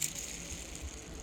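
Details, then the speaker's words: Forward bearing from a used Mendeola S4 transaxle spun by hand gives a loose, jingly tambourine-like rattle; excessive play let the input shaft move about 1/8–1/4 inch; pinion bearings wiped out and a thrust washer heat-melted. "Forward bearing sounds like a tambourine. This forward bearing has so much play in it. Hear how noisy that is?"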